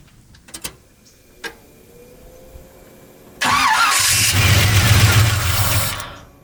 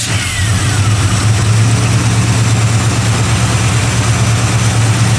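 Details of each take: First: Chevy 350 truck parked three to four months: starter cranks steadily for about three seconds, catches briefly on starting fluid then dies. Cranking no-start from fuel starvation; fuel line from the sending unit later replaced. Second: Chevy 350 truck parked 3–4 months with no-start, after fuel supply repair and filter line replaced: deep, loud V8 idle, fairly steady with slight lope, no knocking or misfire; running healthy.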